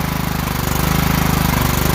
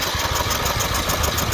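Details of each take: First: Kohler single-cylinder riding mower from an auction, started by jumping the starter because the solenoid clicked but gave no crank: a low, steady thrum with even firing pulses and no knocks or misses, running normally; starter solenoid suspected. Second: Tractor with 128 hours on the counter, cranked on a booster pack: the starter spins the engine with a quick, even pulse, but it never fires. No kick is heard; the coil kill wire is suspected and will be disconnected at the harness.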